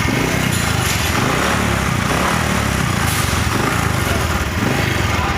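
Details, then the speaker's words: Honda Supra X 125 underbone motorcycle with customer complaint of rough engine: loud, uneven, clattery idle with ragged beat; mechanic suspects worn piston, will check timing and valves; not confirmed. "Kalau analisis saya sih ini kemungkinan pistonnya sudah koplak, tapi kita coba cek temeng dan juga klep nanti."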